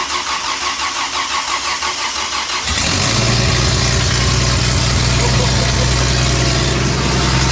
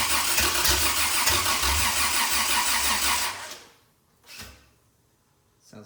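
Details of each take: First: Toyota 2F engine after year-long full rebuild, new starter and carb, after earlier flooding: starter cranks under three seconds, then it fires and settles into a steady, even idle; normal first start. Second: Toyota 2F after full rebuild, first start with new lighter starter: starter cranks steadily about three seconds with only weak attempts to fire, then stops; engine flooded and won't catch.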